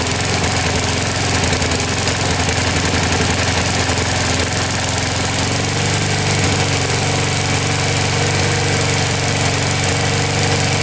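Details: Older Briggs & Stratton 3.5–4.5 hp lawnmower engine with carburetor on the metal tank, after diaphragm replacement, cleaning and a spring adjustment, primed: steady, even single-cylinder buzz with no surging or stumbling. Normal running.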